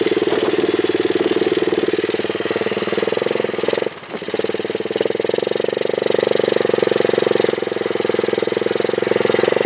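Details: Honda chopper ridden after cutting off part of the over-welded battery bracket: steady engine pulse of about four beats a second with no scrape or rub from the chain; it runs quiet and healthy.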